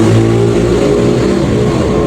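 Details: Honda ADV 160 scooter unused two months; no-start was actually a dead remote battery, now replaced: smooth, even engine note holding a steady rev, no knocks, misses or rattles; engine healthy.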